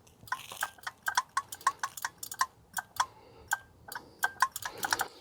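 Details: Suburban Nautilus IW60 RV on-demand water heater with E6 error; vacuum-activated pressure switch tested by mouth suction, crisp clicks on each apply and release, switch works; fault later traced to restricted exhaust fan airflow.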